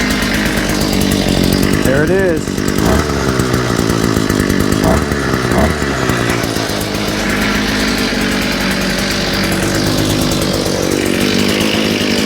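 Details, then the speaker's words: Small engine with a new carburetor, after correcting reversed fuel pickups and straightening a kink in the fuel line, gives a loud, steady high-revving buzz without stumbling or dying; sounds good, normal running. "Sounds good."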